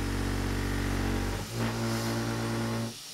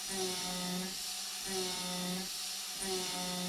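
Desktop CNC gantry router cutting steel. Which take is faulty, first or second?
first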